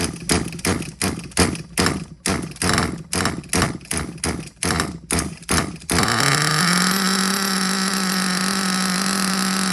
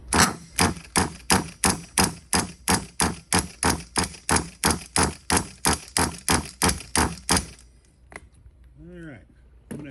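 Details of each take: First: Hobao Hyper ST nitro truggy, used, primed with a little fuel and still not starting on the first pull: about a dozen rapid pull-start cranks, then it catches and holds a steady high-pitched buzz; small nitro engine running normally. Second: Hobao Hyper ST nitro truggy, engine at 133 degrees with glow driver on the plug: about three even pull-start strokes a second with no firing or catch; cranks but won't start, owner suspects insufficient fuel and primes the tank.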